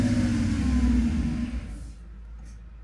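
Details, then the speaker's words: Mercedes R129 SL500 / W124 E420 V8: revs with an uneven lumpy beat then drops away and dies; runs better with air flow sensor unplugged, so rough running traced to a faulty air flow sensor. "so we do have a faulty airflow sensor and not a airflow sens"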